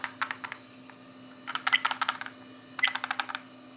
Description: I receive the item with some defect rattling sound on car mirror dvr